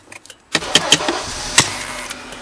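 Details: 2003 Honda Accord with an intermittent no-start and a buzzing noise when cranking: light tapping clicks on the ignition switch with the key in crank, then the engine suddenly catches and idles steadily. Faulty ignition switch.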